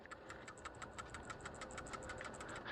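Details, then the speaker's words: Non-OEM PCV valve (part V436) for a 2015 Nissan Frontier 4.0L V6 VQ40DE, shaken by hand: quick, light metallic rattle ticks showing a healthy, unclogged valve. "and then if you hear that little like rattling sound in there, it should be good. If if you don't hear that, then it's uh clogged up."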